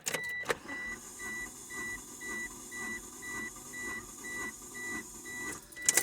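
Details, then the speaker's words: 1995 Mitsubishi Eclipse GST, stock bottom end, recranking low cylinder in compression test: even starter pulses about twice a second under a steady chime, no lazy strokes; stays at 180-plus psi, judged good. "And if your rings are bad or your valves are bad or anything like that, it's not going to go any higher, no matter how much you crank it. Nope, See? Wouldn't go up. So it's 180 plus. I would say that that's good."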